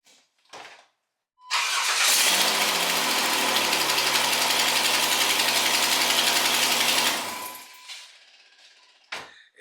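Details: Ticking at startup on a 2007-2013 Jeep Wrangler JK: engine cranks, catches, then runs with fast, sharp ticking from a pretty bad exhaust leak, most likely the exhaust manifold gasket or a cracked manifold.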